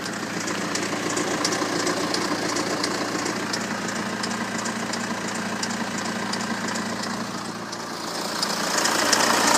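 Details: BMW N47 177 bhp diesel, 127,000 km, idling: fast light metallic rattle ticking over the clatter, steady at idle; worn timing chain.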